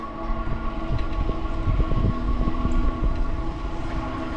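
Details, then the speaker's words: E-bike riding at about 15 mph on wet roads; steady high-pitched squealing and squeaking over road rumble while braking as the rotors get wet: disc brake squeal from wet rotors. "you can hear with all the squeaking and the squealing on them rotors are getting pretty wet"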